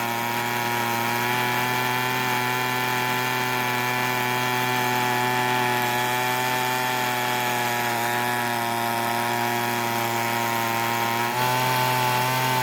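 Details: Free Weedeater leaf blower that wouldn't start, after repair: steady high-pitched two-stroke buzz at even speed with no misfires or surging; runs cleanly.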